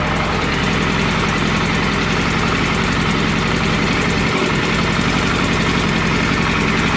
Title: FZS600 engine knock